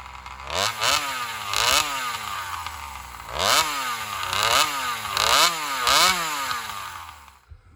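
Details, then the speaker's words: Alcohol-fuelled saw in a long cut after a fuel line swap: revs climb and sag in quick swoops, hunting and bogging; suspected fuel starvation, with a bigger fuel line or metering lever adjustment considered. "right, so there it is. My assumption, I think, is pretty much spot on. She's just, starving for fuel."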